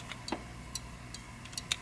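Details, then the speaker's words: Cactus Canyon Remake saloon door mech (Chicago Gaming upgrade kit), after loosening the overtightened lower switch screw slightly: crisp light clicks at irregular intervals as the door swings, the switch now clicking open and closed properly. "I'll hold the door open and I'll loosen this just a little bit. There it went."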